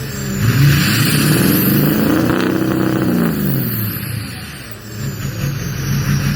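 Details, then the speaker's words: 2006 Ford F350 6.0 diesel after fixing code P2262, a broken MAP sensor nipple on the intake, and clearing codes: smooth rev with no hesitation, big improvement, sounds healthy; owner still expects to need a turbocharger and suspects the oil cooler. "now that's a big difference so big black is going to be alright for another couple more miles"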